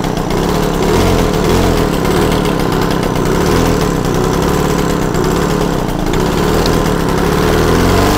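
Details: Yamaha TZR 250 3XV two-stroke twin, one spark plug removed to run one cylinder alone: busy, raspy buzz at raised idle, fairly steady while idle and air screws are adjusted, before resetting idle to about 1500.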